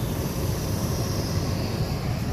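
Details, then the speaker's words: 2015 Nissan Rogue with replaced blower motor, during glove box reinstallation: steady even rushing airflow with constant motor hum, no ticking or scraping; the new blower runs normally. "You can hear the blower"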